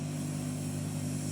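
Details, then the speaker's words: Sound system with no programme playing, equalizer gain raised from 7 to 15 dB and volume up: a constant hiss over a low steady hum that grows when the treble (high) is boosted; excess gain is raising the hiss. "nah karena high-nya kurang kita tambahkan di e high-nya"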